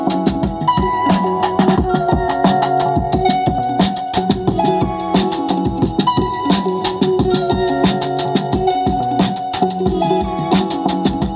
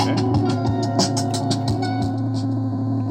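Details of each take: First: Anvox ACA 800 Gladiador powered PA speaker (850 W RMS) after repair of low volume with hum: music now plays loud and clean with no hum or drone. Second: Anvox ACA 800 Gladiador active speaker (850 W RMS, 127/220 V): faint, thin music from a USB stick over a steady low hum and squeal; output stays weak even at full volume, and the hum appears at low volume too.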